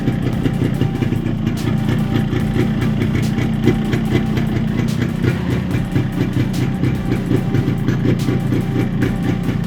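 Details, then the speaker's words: Yamaha RX135 two-stroke after the engine was reassembled with a 50-size piston to cure a piston noise: a steady, even putter with the noise now much less than before; normal running. "अभी sound जो है पहले से बहुत कम आ रही है।"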